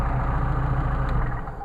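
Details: Mercedes 190SL with freshly rebuilt Solex carbs, factory gaskets: after a hot restart it settles into a smooth, even low burble, no misses or stumbles; clean idle.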